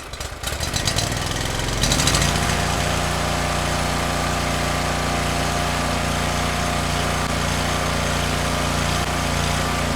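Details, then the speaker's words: Cub Cadet 1641 tractor single-cylinder engine after carburetor cleaning and replacing very old fuel: after a brief rise settles into a steady even beat with no misses; runs better, though idle seems low and carburetor may need adjustment. "It sounds better to me."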